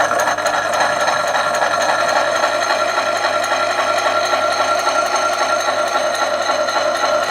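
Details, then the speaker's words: 1970s Kennedy Model 60 power hacksaw cutting a half-inch brass round bar: loud, steady metallic clatter at nearly four strokes a second, even and unbroken. It cuts smoothly, with auto cutoff at the end, so it is running fine. "that's quite loud as you can hear but c-suite going through the brass quite nicely"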